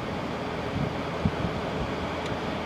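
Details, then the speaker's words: LG ThinQ 10000 BTU window air conditioner after capacitor replacement, mid-60s°F outside, grille not fully on: steady, even fan airflow whoosh with no rattle or scrape; runs normally. "this camera I can actually stick into the wind and it doesn't get all garbled so yeah it seems to run pretty good"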